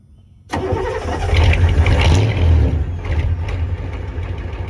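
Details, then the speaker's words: Ford 6.9/7.3 IDI diesel pickup, warm weather around 70°F: short crank, catches almost at once and settles straight into a steady diesel idle. A healthy start with no hesitation, as it should light off above 60°F. "However, it should light off basically like it's not even doing a cold start whenever it's, you know, 60° plus."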